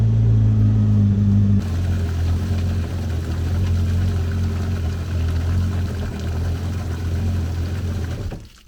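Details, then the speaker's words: 2013 Yamaha WaveRunner VXR 1800HO, run 20–30 seconds after oil and filter change (about 2.75 L) to fill filter and build oil pressure: low steady rumble, even firing, water gurgling, clean shutdown; normal idle. "i'm gonna start it up for 20 30 seconds and let the oil circulate let that oil filter fill up let it build some oil pressure"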